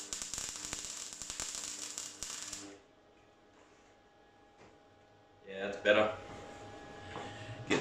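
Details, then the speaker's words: MIG welder after the wire contact was repaired: arc is back, a steady even crackle of fine pops like frying bacon; possibly slightly overpowered from earlier cranking up the settings, otherwise healthy arc. "so i've definitely got art back it um it doesn't sound rough at the moment it sounds overpowered perhaps"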